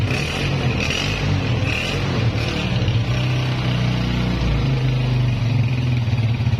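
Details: Honda CG 125 (2011 model) after repair with a new piston fitted, after heavy smoke and extra engine noises: deep smooth hum swelling slightly with light throttle, no tapping or top-end clatter, silencer smoke now stopped; normal running.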